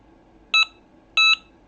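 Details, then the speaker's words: Delkim bite alarm with Nitelite indicator on a show rod, roughly 12-15 lb twisted line, no weight on, sensitivity turned up to about 4-5: three short high beeps, one per line tap, in a quiet room; normal vibration-sensing response. "Now if I tap the line, I'm starting to get something."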